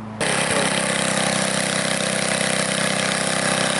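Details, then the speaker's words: Ariens front-tine tiller after replacing a gummed-up, corroded carburetor with a leaking float: it fires right up, then holds a steady, even beat with no misses or surging; normal running. "I'm gonna fire it up and see what it does as you can see fire right up"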